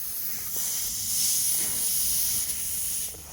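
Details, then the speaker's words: Grom-clone 125cc-class mini motorcycle, engine off in the garage after a ride: steady sharp hiss as air escapes a punctured tyre that is beyond repair and needs replacing. "I ride back. I hear, what the fuck is that? I ride forward. I don't hear it. Yeah. I ain't repairing that. I'm gonna have to swap this fucking tire, unfortunately."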